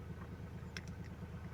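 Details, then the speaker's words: Ford with erratic RPM, rough cold-start idle and limp mode, earlier fuel rail and injector issues: a lumpy idle with rapid low pulsing and sharp metallic top-end clacks, as if the top is short of oil; oil pump suspected, unconfirmed. "Oil pump niya kasi dapat ah hindi siya ganun yung andar niya na parang may lagatak. Akala mo eh kulang ng langis sa taas."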